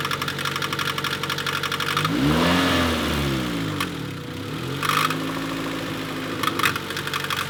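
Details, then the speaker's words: Budget Honda Civic engine: revs up and settles to idle, then loud irregular knocks about every second; intermittent, goes away with higher rpm, persists with accessory belts off, water pump fine; cause unknown. "as you can hear it's very intermittent very loud it goes away with engine RPM increasing so we're not quite sure what this could be"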